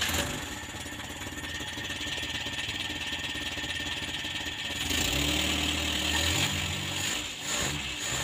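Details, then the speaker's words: Old Colt T120 after new spark plugs, correctly ordered plug wires and carburettor setting: the engine starts easily, idles steadily and revs cleanly and strongly. It is running properly; the vacuum lines are no longer used. "Ya, gas-gasane garang, penak."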